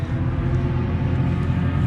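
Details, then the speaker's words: Mazda NC Miata with Racing Beat header and mid pipe, at race track: steady low idle with a light, regular clocking tick over the rumble; sounds like heavy valvetrain noise but owner traced it by listening tool to the intake, suspects swirl flaps. "Also, the engine is making a clocking sound and I think it's the intake. Uh there's like swirl flaps in this intake."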